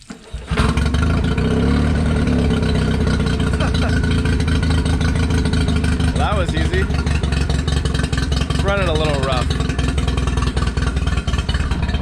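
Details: Nissan 99 outboard after carb clean, new oil, oil filter, fuel filter, fuel lines, impeller and gear oil: motor catches and settles into a loud low drone with slightly uneven, stumbling beat; running rough at idle.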